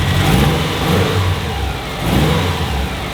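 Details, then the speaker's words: Subaru WRX STI build, first start with new cylinder heads and cams, held at about 2,000–2,200 RPM for 15–20 minutes of cam break-in: steady fast idle with an even, smooth beat and gentle swells; running cleanly. "so you can hear I'm just sitting here driving the car I'm holding it at about 2,000 to 2200 RPM for about 15 to 20 minutes"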